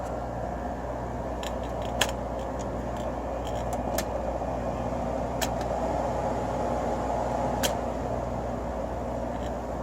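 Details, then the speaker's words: Window air conditioner: compressor failed to start at first, ran on fan and warmed with a heater, then started; steady even fan and compressor hum, a few faint clicks, no rattles or knocking; normal running. "maybe let it run on fan for a bit and see if the compressor starts there it goes I love the way this one sounds"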